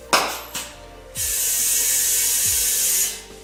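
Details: Tire being mounted at home with prybars, valve core left in: steady sharp hiss over a few clanks as air escapes around the rim past the unseated bead, which is being shifted to try to seal it. No bead sealer on hand.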